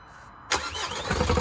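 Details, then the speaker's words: 2014 Vauxhall Vivaro 1.6 CDTI van, a non-runner: the starter cranks, the engine fires with a sharp ragged burst, then instantly cuts out; it was kept running only on brake cleaner, so it is not getting fuel. "chris just spin it over so it fires straight up and instantly it cuts out it's just just stops just like that"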